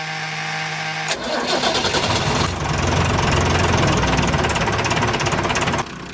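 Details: Ford Lehman 120 marine diesel with intermittent starting and no hot start, cranked via push-button cable at the starter solenoid, throttle minimum, in neutral: short crank ends in a sharp catch, then even running settling to lower idle; engine cranks and starts.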